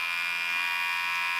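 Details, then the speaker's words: 1964 Pontiac 389 after rebuild, fuel pump switched on before first start with engine off: steady high-pitched electric buzz, no pulsing, filling the carburettor bowls, pressure adjusted to 5.5 psi; normal fuel pump operation. "i heard it i can hear the bowls filling up i adjusted this to five and a half pounds"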